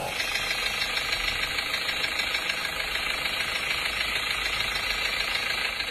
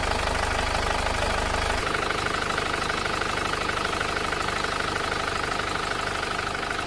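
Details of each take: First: Diesel idling after recent engine overhaul: sharp, steady tek-tek knock about three taps a second; piston slap suspected from worn pistons, which were all replaced. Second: Panther diesel after engine overhaul, previously making a "tak-tak" knock: settles into an even idle, regular soft clatter about three beats a second, no sharp tapping; healthy.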